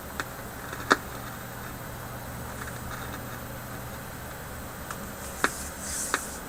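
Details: Philips 922 vacuum tube radio run tilted with speakers connected, volume down, voltage dropping from 120 to 115: a soft hiss broken by sharp, irregular cracks and pops; an internal fault, and the owner suspects the IF capacitors.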